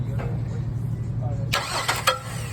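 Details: Car being diagnosed for no start, cranked with a remote starter while a spark plug tester and noid light check for spark and injector pulse: an even cranking drone for about a second and a half with no firing, then a few sharp clicks; cranks, won't start.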